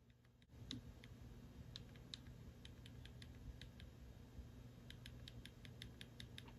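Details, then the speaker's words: RC car pinion and spur gear, mesh adjusted after a too-loose setting, spur flicked by hand: light, crisp clicks with a tiny bit of spur movement, no binding or whacking of teeth. Correct gear mesh. "right about there is perfect so you can hear that clicking and you can feel the tiniest bit of movement in the spur which is telling me i haven't wedged those teeth but it's loose so it's loose enough but i'm not so loose that it's going to be whacking it"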